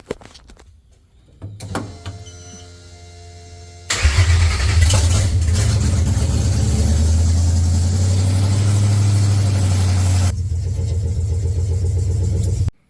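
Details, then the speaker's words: Coyote V8 swapped 2014 Mustang GT S197 drift build on standalone harness, very first start on 93 fuel with no intake or oxygen sensors fitted: starter whirs a couple of seconds, catches first try and settles into a steady, even idle; normal start. "okay so that was with uh no intake or oxygen sensors I actually haven't wired hardly anything in the c110 that is like the bare minimum in my opinion to make it run but that was 100% the first try"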